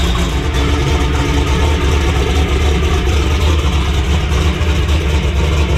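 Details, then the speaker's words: Methanol-fuelled turbo race Camaro in cold weather: heavy steady roar held on the rev limiter at about 4,500 rpm with hard crackling exhaust pops as the limiter pulls timing, boost not yet at target. "you can hear that thing popping really hard when we're pulling that timing out and um that's because it was still down in the booth"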